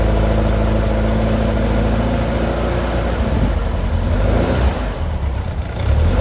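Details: New Powerhaus 2110cc air-cooled VW flat-four, upgraded heads, dual 44 carburetors, on dyno after valve adjustment, warmed up: deep even rumble, steady firing, no ticking or knocking as it pulls; normal running under load.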